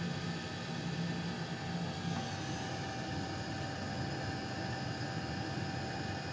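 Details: Custom Webasto water heater and Chinese diesel heater hybrid at max, warmed up in just over 10 minutes; radiator about 90°, burn chamber 140, exhaust about 120, water pipes 60 and 86; steady even roar with low hum, no sputtering or pulsing; normal running.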